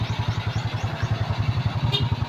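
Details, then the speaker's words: SYM scooter, previously starting then dying, after new CDI fitted (CDI, ignition coil and spark plug faulty): quick, even put-put idle with no misses; engine now starts and runs cleanly. "Try natin paandarin pangander na siya. Ayan kita niyo umandar na."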